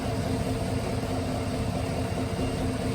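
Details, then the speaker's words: 2018 Chevy Silverado 1500 5.3L V8 with 6L80E, first start after installing a billet torque converter, bigger transmission cooler and new lines: smooth even idle, no knocks, ticks or whine; normal despite a check-engine light. "Sounds good. I don't hear any weird issues. That makes me quite happy."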